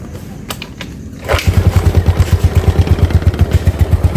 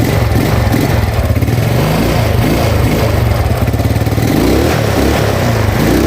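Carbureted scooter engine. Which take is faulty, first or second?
first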